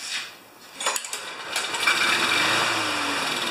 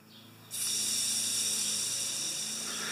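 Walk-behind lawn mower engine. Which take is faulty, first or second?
first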